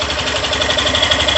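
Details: 2022 Fazer 150 motorcycle, about 1,082 km, idling with phone near engine; fast steady light ticking in time with engine, owner unsure if normal, suspects valves; owner says it runs very hot.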